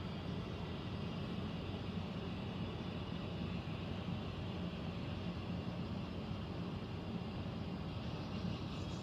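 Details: Central air conditioner air handler, apparently above the bedroom closet, making a constant low hum and rushing roar, unchanging and louder than normal; owner questions a possible leak; abnormal noise, cause not confirmed.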